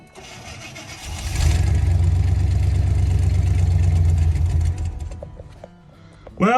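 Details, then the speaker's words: 1983 Chevy K20 frame with C10 body, parked outdoors all winter in Alberta, weak battery: catches and idles low and steady without throttle, then sags and dies; owner thinks water in the fuel tank is being drawn up. "foot's not on the throttle she's just running and is going to die it always does [Music] [Music] that I think it's picking water [Music] up [Music]"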